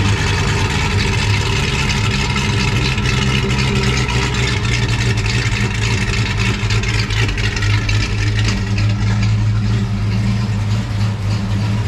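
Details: Foxbody Mustang project car V8 with a freshly installed drivetrain, through an off-road H-pipe exhaust: deep, steady, loud idle rumble, no knocks or misses; burning residue off the exhaust manifolds, clutch fan not connected, timing not yet set, possible exhaust leaks.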